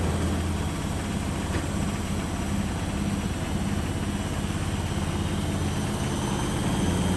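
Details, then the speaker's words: Beko washing machine on spin in a wooden-floored shed, slightly unlevel: deep, uneven rumbling thump about three beats a second as it rocks and dances, shaking the shed; needs levelling. "Yeah, definitely need to level that. So it's just a bit unlevel, and then obviously with the wooden floors, they all shake, the whole shed shakes."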